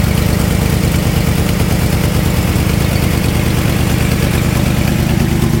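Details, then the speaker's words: 1996 Ford F-250 idling with a bad exhaust header: rough, loud idle with a rapid ticking puff, about three beats a second, over the engine drone; exhaust manifold leak. "I'll start off so you guys can hear it wrong exhaust still sounds like crap because it's got a bad header but"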